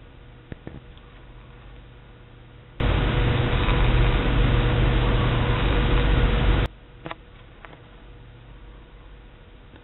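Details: Main breaker panel with the bathroom lights and fans on: faint mains hum, then about four seconds of loud, harsh buzz; ozone smell and slightly flickering bathroom lights; suspected bad breaker number 11, but the cause was a loose, arcing wire.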